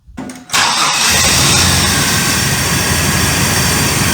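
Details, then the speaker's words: Astro van after replacing serpentine belt (Dayco) and belt tensioner (Gates) to cure a terrible belt noise: cranks, catches cleanly and settles to a steady idle with no squeal or chirp; healthy start. "so I'm just going to start the van and make sure that it's good and hopefully that annoying sound is gone"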